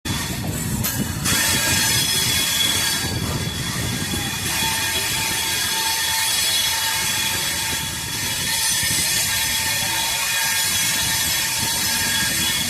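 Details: Banaras–Dehradun Janta Express 15119 with WAP7 locomotive and LHB coaches on Dilkusha curve: steady high-pitched screech with faint clicking over rolling noise, wheel flanges grinding on the rail through the curve.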